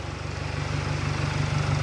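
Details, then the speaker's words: Jaguar F-Pace, 2.0 Ingenium 204DTD four-cylinder diesel at 140,500 km, rebuilt after breaking from heavy oil consumption, first start after repair. Starts instantly; steady diesel clatter at even idle, no knock or misfire: normal diesel idle. "On va le démarrer, vous allez voir. Il démarre au quart de tour. Hop. Voilà, le moteur, il tourne."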